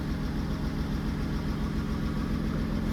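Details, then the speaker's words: Car idling just after fitting a new welded exhaust line: low even rumble, steady beat, no rasp, ticking or blowing; surprisingly quiet exhaust, healthy engine. "J'aurais jamais cru claquer dans des mains pour dire. Qu'elle fait pas de bruit. Il y a plus de bruit."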